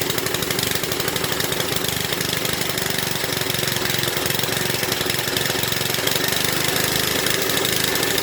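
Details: Briggs and Stratton rotavator, probably from the 1970s, unused for about four years, running at full throttle: fast, even single-cylinder bark with a bright, clattery top end, holding speed steadily. Normal running.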